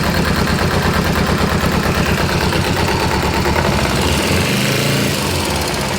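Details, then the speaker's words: Kawasaki ZZR250 twin at low tickover with choke on, after stripping the clutch basket and making new bushes to cure the common low-rev clutch basket knock: steady, even beat with no clunking or knocking, a normal idle. "Low tick over, you could hear it bang, bang, bang, bang. Nothing, not a note. It worked."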